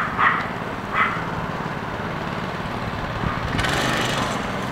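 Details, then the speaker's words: Go-kart with a small single-cylinder engine and torque converter, after a new belt and a bronze bushing on the drive pulley: steady buzz with an even note, no slipping or rattling; the original problem is fixed, only a loose chain remains. "so aside from the loose chain we fixed the original problem it sounds good oh good sounds good runs good so new belts and that bronze bushing for the drive pulley seem to fix the problem"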